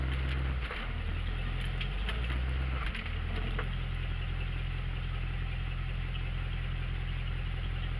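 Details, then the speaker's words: Carbureted V8 Ford Ranchero in park after fixing a fallen passenger-side exhaust pipe: smooth, even, fast idle with steady deep exhaust note; idle set high for winter so the cold engine keeps running; timing possibly retarded slightly too much. "You hear how the idle's high? That's for winter, because once it starts getting cold, these carbureted engines don't like to stay running when they're cold."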